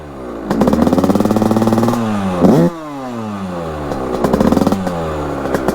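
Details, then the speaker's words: Beta 100cc two-stroke, 34 Mikuni cross carburettor, fully warmed up: revs blip and fall back to lumpy crackling idle; better but still rich and smoky, idle still needs adjusting. "là on est quand même sur quelque chose de vraiment pas trop mal fume est grass mais c'est déjà mieux"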